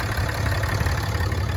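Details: 2017 Ram 6.7 Cummins diesel started after crankcase (CCV) filter replacement to check for leaks: deep, even rumble at steady idle with no knocks or misses; healthy.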